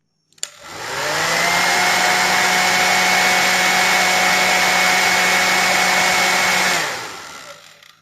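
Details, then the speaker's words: Hair blow dryer after the loose fan blade was glued back onto its hub: motor spins up to a clean steady whine with even airflow and no rattle or buzz, winds down smoothly; the strange noise is gone. "so we're not getting that sound anymore so it would seem as though the repair has successfully prevented that annoying zone"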